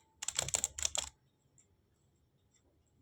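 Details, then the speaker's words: Sony 2200 W music system cassette mechanism under repair, head rising then dropping and eject mode triggering: quick sharp plastic clicks then silence as it won't latch into play though forward and reverse work; stiffness suspected. "Forward reverse तो हो रहा है। लेकिन play के अंदर रुक नहीं रहा।"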